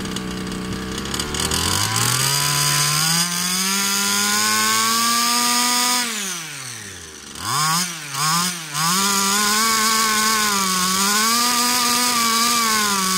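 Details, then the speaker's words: Baja RC two-stroke with fresh fuel mix, a different carburetor and a little tuning despite minor ring damage: buzzy, revving cleanly and picking up sharply on every blip. Running properly now. "so it seems a lot better with this call that much ring damage a little bit of tuning and it ran now"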